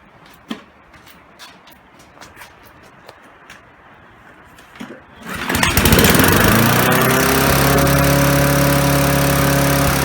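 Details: Briggs & Stratton 3.5 hp four-stroke push mower that was surging and running rich, after replacing the failed carburetor fuel diaphragm; starts after a few pulls and settles into a steady, even run without surging.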